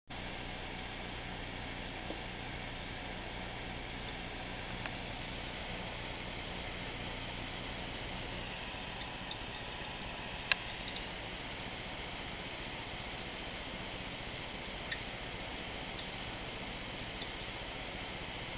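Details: 500GB Western Digital Caviar SATA2 desktop hard drive with steady fan-like hiss and a few sharp, irregular clicks, worse under heavy load such as decompressing many files; owner suspects the lower of two drives.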